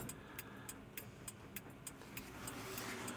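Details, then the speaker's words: Truck under restoration, key on after arming the battery: flasher relay clicking about three times per second but the turn-signal lamps stay dark; owner suspects the turn-signal stalk is faulty, not confirmed. "Like, I can hear it clicking. I can hear the flasher relay clicking like this. But, nothing's happening."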